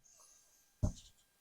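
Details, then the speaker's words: Single light metallic click as a Spohr 286 Competition revolver's cylinder is rocked side to side by hand after 4,600 Magnum rounds with near-zero maintenance; play is small, about the same as a nearly new one. "But now let's go over side-to-side cylinder play. This is the next place you'll see wear and tear pretty quick. Hear it clicking back and forth."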